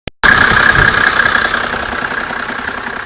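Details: Mercedes OM603 turbodiesel idling: dry, fast metallic rattle over the normal diesel clatter from a worn timing chain, before repair; the noise disappeared after the chain was changed.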